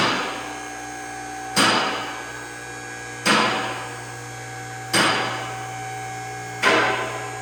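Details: Challenger CL10AV3-2 three-phase car lift raising, arms set for a Volvo: steady motor hum with a sharp metallic clack about every 1.7 seconds as the automatic safety locks engage; normal lock operation.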